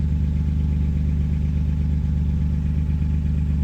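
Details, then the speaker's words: C1500 truck with 3100 V6 turbo, after fitting a new Flowmaster FlowFX muffler and 3-inch tailpipe; idle while checking welds for pinholes, not yet warmed up. Deep, even exhaust rumble with no rattles, puffs or leaks: normal exhaust idle. "Sound like there's any pinholes. We'll have to see what it sounds like when it's warmed up here. I have a feeling it should quiet down nice."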